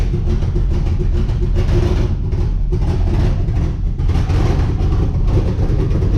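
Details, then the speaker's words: 1964 Chevrolet Impala V8 running MegaSquirt injection, being backed out: a loud, raspy idle with a sharp puffing chuff over the deep lope from a bad exhaust leak. "this is my 1964 impala i'll pull it out and do another walk around but it's got a bad exhaust leak"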